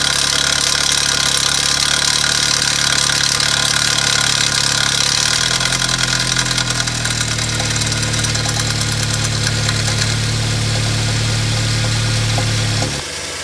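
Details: BMW N43 petrol engine rattles and knocks just after a cold start, then settles to a steadier idle. Oil pressure regulating valve, oil pressure sensor, VANOS valves and chain tensioner already replaced. Intermittent fault 2A99 (crankshaft/exhaust camshaft reference). Owner suspects timing chain, VANOS or oil check valve.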